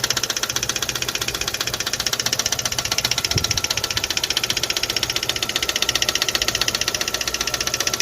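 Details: Kia/Hyundai i20 G4FA/G4FC petrol engine idling: steady sharp metallic knock about three a second from cylinder 3's head, metal debris found in the combustion chambers; pistons, gudgeon pins and crank were fine.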